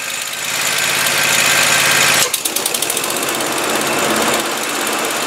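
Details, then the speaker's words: Tractor just after PTO drive belt replacement, PTO clutch engaged: engine runs steady, then a thump and brief pulsing as the blade clutch bites before settling to an even run; PTO drive working normally. "on all right that looks good to me okay everything looks good"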